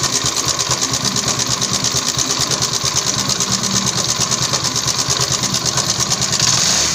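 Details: TVS XL100 Heavy Duty idling: a fast, even clatter of roughly three beats a second with a tinny rattle on top, heard at slow speeds; worn clutch plates suspected, cause not confirmed.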